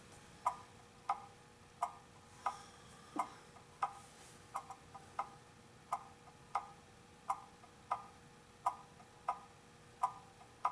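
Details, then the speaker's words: Antique pendulum clock, cleaned and oiled, after being pushed the wrong way: ticks about one and a half times a second with a lopsided, limping tick-clunk rhythm because it is out of beat. "hear that dick clunk tick clunk okay what's happened is it's out of beat and i pushed it the wrong way"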